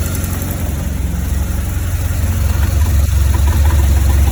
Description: 2004 BMW R1200GS rough idle coming from right cylinder head with 36'000 km.